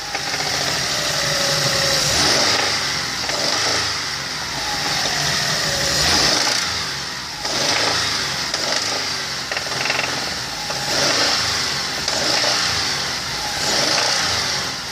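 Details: Hyundai Terracan 3.5 G6CU engine: sharp, fast ticking knock over the idle that keeps pace as revs rise; engine knock, cause not yet determined.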